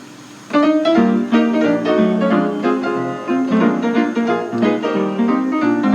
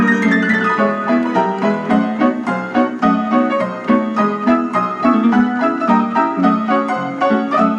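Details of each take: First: 1926 Kohler & Campbell player piano freshly tuned, playing "The Glow Worm" on a Playwright roll: steady, even tempo with clean notes and no dragging, rubbing or speed wobble; normal playback. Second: 1926 Kohler & Campbell player piano playing "The Glow Worm" roll before its annual tuning, on original worn-out cloth: the tempo drifts faster and slower as more notes play, from weak motor and governor bellows.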